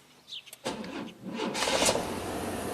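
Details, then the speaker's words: 1991 GMC Jimmy 4x4 with battery and starter replaced several times: with lights on, voltage sags from 12 to about 9 V as it cranks in a tired, labouring way before catching. Slow crank from a weak battery; parasitic draw suspected. "so about 9 volts and then it turned over"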